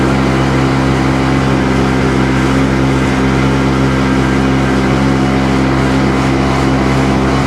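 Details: Rebuilt Sea-Doo GTX DI 951 two-stroke on the lake, fuel of unknown age; loud high-rev drone with uneven stumbling beat, skipping at 4200 rpm when RAVE valves open; top end good; owner suspects an odd, expanding RAVE hose.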